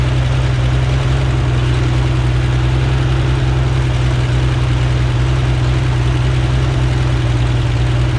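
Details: Rebuilt Corvair flat-six on a test stand outdoors during carburetor synchronization and oil pressure check: strong, steady low drone with an even beat and no ticks or knocks at idle.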